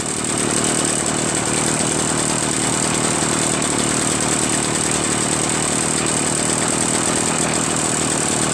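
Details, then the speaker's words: Echo PB-403T two-stroke backpack leaf blower, reassembled after carburetor cleaning, magneto reinstall and kill wire removal: even steady buzz with constant fan rush, no surging or misses; normal idle. "Honestly, it runs pretty well."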